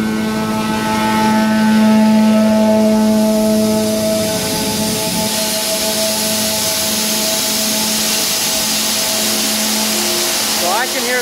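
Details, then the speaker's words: Grain dryer and bin system with meter roll at 18%: steady mechanical drone with rushing hiss through the warm conveying pipes and even hum beneath; normal grain flow through conveying pipes. "so I don't know if you guys can hear it but I can hear grain moving through the pipes"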